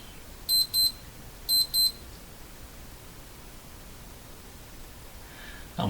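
Two pairs of sharp high beeps about a second apart over a quiet room; just the timer going off normally.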